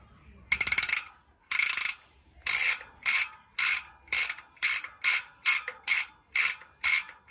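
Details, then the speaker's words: Maxzone Stroke 1.0 freehub on Trinx Striker K026 bike, hub never repacked per previous owner, before spring replacement: repeated bursts of bright, thin, dry ratcheting clicks, about one spin per second. Weak freehub pawl springs. "Okay, so tara, kunin na natin yung hub at diretso palit na. Okay, let's go. So ito yung tunog ng hindi pa napapalitan yung springs."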